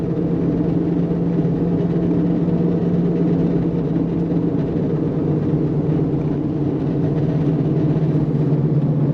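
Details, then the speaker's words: Subaru Impreza wagon under 100K miles, driving, belt also noisy: loud, constant low drone holding steady pitch over road noise; back right wheel bearing bad. "Wheel bearings are 9. Oh yeah. That back right's bad."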